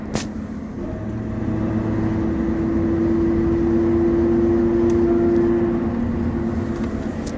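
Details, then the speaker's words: 2004 Chevy Tahoe driving: steady whine that grows louder from about 25 to 40 mph on throttle and fades when lifting off; front differential ring and pinion gear and bearing suspected. "so I think it's the front differential sounds like the ring and pinion gear and bearing whenever I give it gas it starts blinding when I let off it quits around 40 listen"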